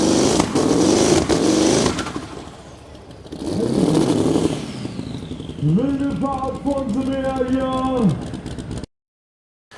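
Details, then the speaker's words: Modified pulling tractor engine under load during a pull with a reground camshaft; the engine control unit repeatedly shuts the engine down in jerky bursts, the roar dropping and surging; first guess was the rev limiter. "During the ride the engine control unit started to shut down jerkily over and over again."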